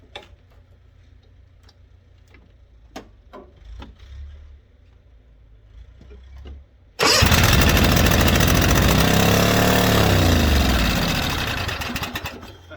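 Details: White Outdoor LT542G riding mower, new starter and electrical fixed, throttle cable linkage out of adjustment, previously drinking gas and fuel in oil: quiet clicks, then engine fires and runs loud with uneven beat before fading; rough, unsteady running.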